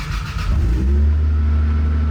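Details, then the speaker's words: Toyota Land Cruiser FZJ80 (full-time four-wheel drive) starting up: engine catches and settles into a deep, louder-than-normal rumble under a low drone from an exhaust leak, likely also triggering the check engine light. "So, that loud sound, it you shouldn't have a loud sound like that. So, it's a little louder than it's supposed to be."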